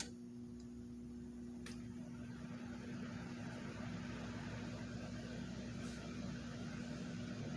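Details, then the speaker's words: Cool Master floor fan after a motor swap to increase velocity, first test on low speed: steady low hum with a soft whoosh of air, even and smooth, no rubbing or rattle, though the blade set is slightly out of true; fan runs fine. "Let's start it off on the low speed first."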